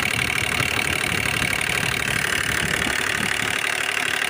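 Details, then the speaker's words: Hyundai Grand i10 diesel (2015, BS4) at idle: a steady tapping about three times a second under the usual diesel clatter; timing chain suspected, piston not ruled out, cause still unconfirmed. "तो problem ये है, गाड़ी की जो sound है थोड़ा बिगड़ गया है। तो देखिए, सुनने में थोड़ा अजीब सा साउंड लग रहा है।"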